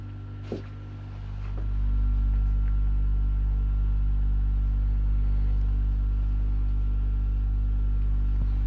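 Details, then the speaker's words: Water flow noise in a humming boiler: a low steady hum swells over about a second then holds with a whooshing flow underneath, water rushing through the boiler. "слышен шум воды"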